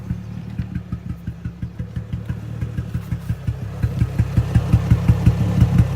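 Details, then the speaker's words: Infiniti G35 project car, recorded outside: idle thumps unevenly about three per second with stumbling beats, keeps dropping; misfire and rough idle, with power loss and heavy oil burning. "So if you notice, the idle is kind of inconsistent. Right now it's adjusting now, but yeah, you'll notice it's going to keep dropping and dropping."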